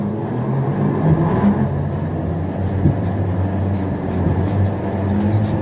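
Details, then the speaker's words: EMD SD38-2 diesel locomotive, very cold, running straight water, just fitted with a new radiator: low labouring rumble as the engine cranks for several seconds without catching; cranks but fails to start, moisture in cylinders possible after rain. "oh dear it's cold not good not good at all"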